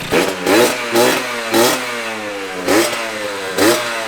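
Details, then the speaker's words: 1982 Honda MB5 two-stroke after head gasket fix, new Malossi PHBG kit with Dellorto PHBG 21mm carburetor (mixture untuned) and Proma GP exhaust, first startup: crisp throttle blips falling cleanly back to a steady idle; normal idle and revving. "to be honest and to be fair the mb5 has never sounded so good since i had this thing it has never sounded so good especially on first startup"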